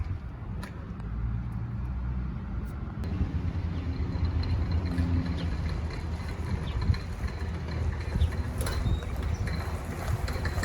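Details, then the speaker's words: 2009 Chevy Silverado 1500 4x4, 4.8 L, driving: heavy low drone with occasional knocks from the front end; both front CV axles badly worn, to be replaced. "We're going to be replacing both front CV axles. They are shot. Wait till you hear it."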